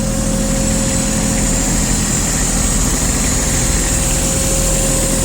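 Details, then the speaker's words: Kubota Aste A-155 four-wheel-drive three-cylinder diesel mini tractor with rotary tiller, idling: steady even diesel chatter and constant low drone, no misses or knocks; runs smoothly, normal idle. "По работе трактора также, я думаю, слышно, что работает ровно, без вопросов. Все прямо-таки хорошо."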